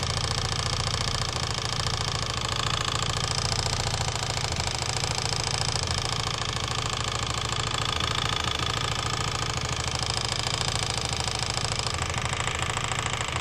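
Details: Engine at idle with a steady note carrying a knock repeating roughly three times a second; knock in the engine, source not pinned down.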